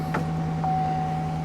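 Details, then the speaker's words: Audi Q5 Quattro salvage-auction car, started without a jump, good oil pressure and voltage, only the TPMS light on: steady low engine hum with an even whine on top, no knocks or misses; smooth, healthy idle. "and it and it runs well it runs really well we didn't have to jump it or anything"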